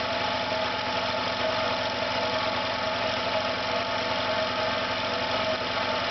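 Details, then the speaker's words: Failing air compressor restarted after cutting out, with a burnt-plastic smell: a steady hum with a rough uneven buzz and visible vibration. Owner believes the motor is damaged. "You can hear again it's not sounding round. Begins to vibrate a little bit."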